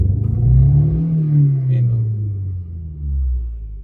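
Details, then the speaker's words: Vehicle with air conditioning on, held at full throttle; deep rumble swells and sags instead of climbing as the engine labours, though it responds to repeated pedal presses; bad fuel pump suspected, not confirmed. "Tapos gagasan ko. Parang hirap na hirap e. Oh, naka-full gas ako niyan."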